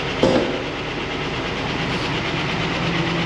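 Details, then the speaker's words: Chevrolet Tahoe V8 at idle: fast, light lifter tick keeping pace with the engine, quieter after oil changes and additive but persisting; owner plans cam swap with new lifters. "Uh, it's gotten quieter than it was, but it's still it's going to have to be replaced. There's no way around it. Let's listen to it here. You can hear that lifter tick pretty"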